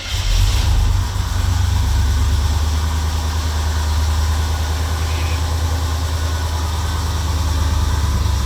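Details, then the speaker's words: '73–'77 GM A-body V8 just revived after sitting, cold winter day, fuel brown and dirty, timing unset. Deep, even rumble settles to a steady idle with no knocks or misses, with lots of smoke from burning off the header. "oh it sounds so awesome yeah it's a lot of smoke"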